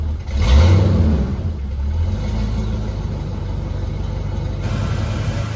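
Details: Ford EB GT V8, rough former daily driver with changed exhaust systems: cranks and catches with a quick rev, then settles into a steady, even burble with no ticks or knocks; healthy start and idle.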